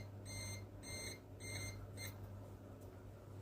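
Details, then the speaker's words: PC build on an Asus M5A78L-M motherboard, CPU temperature climbing past 60: shrill beeps about every half second over a steady fan hum, cut short by a button press; CPU over-temperature alarm. "I can shut the alarm off. I can press the button. I stopped it. I don't want to hear that beeping all the time."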